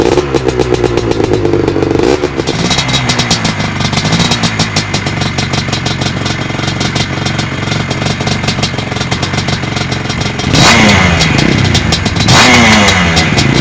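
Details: Fully restored 1983 Husqvarna 250 twin-shock two-stroke dirt bike: a crisp ring-ding idle with sharp, clean throttle blips that rise and fall freely, no rattles; healthy engine.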